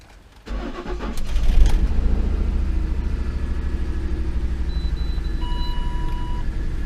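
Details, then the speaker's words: 2008 Ford Expedition, codes just cleared: engine catches then runs rough with uneven, lumpy idle, irregular pulse and an unidentified noise; owner suspects a timing issue, no codes yet; bank 2 sensor to be replaced again. "still running pretty pretty bad I don't know what that noise was could be a timing issue there's got to be a timing issue"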